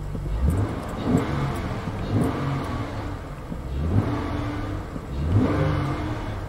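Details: 2000 Acura 3.2 TL after replacing camshaft and crankshaft position sensors (previously rough idle, misfire codes P0300, P1399, P0302, P0303): engine runs evenly with smooth throttle blips, no coughing or stumble; healthy running.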